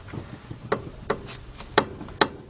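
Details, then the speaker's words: 2002 Ford Explorer front suspension after replacing the front left inner tie rod; sharp uneven clicks and clunks about every half second as the suspension is worked, coming from a worn upper ball joint. "as you can see that's that upper B that's that upper ball joint making that noise"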